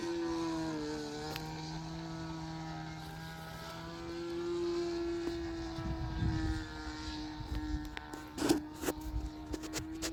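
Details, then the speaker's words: Sig Kougar RC plane on its maiden flight after rebuild: thin, steady high engine buzz dipping and lurching in pitch, with wind noise; engine sagging, pilot thinks it is leaning out, and suspects it needs bearings. "But now it's sagging cuz it's leaning out a little bit."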